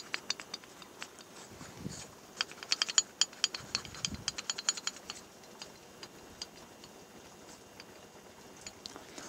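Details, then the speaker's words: Light metallic clicks as a Chinese Alpha/Delta-type piston is rocked by hand in its cylinder: no play at top dead centre, but lower down it wobbles and knocks, showing excessive piston-to-bore clearance from a worn cylinder needing boring. "то есть видите в верхней точке зазора нет и не шатается опускаем чуть ниже ниже ниже и всё поршень начинает даже слышно как"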